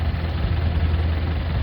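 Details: 1996 (BE 2539) Isuzu NKR 110 hp six-wheel truck diesel, engine described as good: deep, steady idle with an even beat and no knocks or misses; healthy engine.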